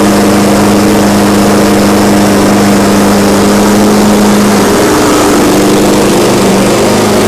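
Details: Exmark Commercial 21-inch mower after carb issues were addressed, engine running warm: a steady, even drone with no surging or hunting. It now runs properly.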